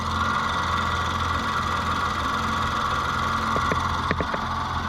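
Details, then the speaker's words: 2014 Nissan Note E12, scan tool reporting vacuum leak: petrol idle with slightly uneven hunting beat and stray ticks; went from rich to lean. "all right so it's running a little rough so we gotta figure out where that extra fuel is coming from"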